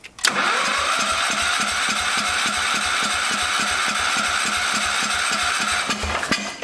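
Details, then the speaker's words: 1974 Power King tractor, plug wire off, cranking on an auxiliary fuel tank; even rhythmic cranking at about three thuds per second, never catches. The fuel pump only dribbles fuel instead of shooting it out, so it is weak and will be removed. "be shooting out it's just kind of dribbling out yeah we'll do my old fuel pump trick we'll get rid of that fuel pump"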